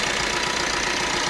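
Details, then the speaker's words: 2016 Vauxhall Astra K 1.6 CDTI diesel: fast, dry metallic chatter over the diesel idle, still rattling when revved; timing chain rattle, common on these engines. "Even when you rev it, there is a rattling. Yeah, this is it."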